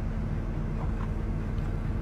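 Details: Amana dryer with a reported weird noise, running with the door switch held and the heating element glowing: smooth, even low hum from the drum and blower, no scraping or rattling. Normal, quiet operation.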